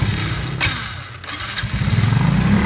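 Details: Honda RSX Fi motorcycle with severe throttle hesitation: engine note sags and almost dies, then stumbles back unevenly as spark cuts out intermittently.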